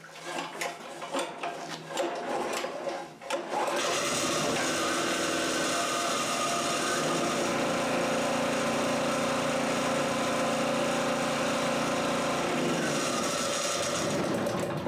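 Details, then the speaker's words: Old Harbor Freight 3000 W portable generator on gasoline, choke on, before propane conversion: fired up in one and a half pulls and settles into a steady, even buzz at constant speed; running normally. "it was literally one and a half pulls and it fired right up"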